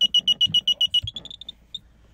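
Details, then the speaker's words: 1995 Isuzu Elf Outback Express camper van, switching on the gas system, which works only while the vehicle is stopped: a run of high, sharp beeps, about seven a second, fading and slowing before stopping; a normal gas system alert. "You hear the beeping behind me. Don't worry, it's all good. I'm not gonna die. So this is how you turn on your gas."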